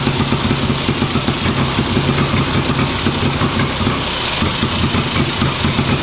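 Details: 1958 Ariel Huntmaster 650 twin motorcycle, run on the bench after recent purchase: steady, even firing pulses settle into a smooth idle with no misses or knocks; running cleanly.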